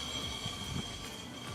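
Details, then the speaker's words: 1974 MGB after rebuild, wheel hand-spun during pre-drive safety check, maybe a tiny bit of play felt in this wheel; quiet gritty scrape repeating each turn from rotors built up with rust dragging on pads. "this one feels about the same maybe just like a tiny tiny bit of movement but you could hear those rotors"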